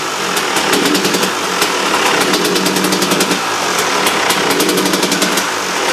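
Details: KTM two-stroke after replacing worn, holed reed valve petals that were blowing fuel into the airbox: crisp, busy crackle with quick sharp ticks, holding steady and revving freely with no bogging or spitting; normal running.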